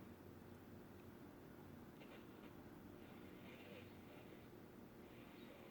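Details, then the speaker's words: 1960s Americana (Panasonic-made) transistor radio at full volume after cleaning the blackened power switch and volume control, no improvement; only faint hiss and one weak barely audible station: weak output, cause not yet found. "There's the volume all the way up, we get one little weak station."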